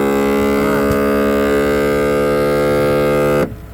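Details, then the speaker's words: Class A RV power step, microphone underneath at the step module: the motor runs with a loud steady buzzing drone with rich overtones for about three seconds, then stops abruptly; the step won't retract because the gearbox assembly has failed, though the motor is good. "So now when I go to shut it, see what I'm saying? It's not going to retract."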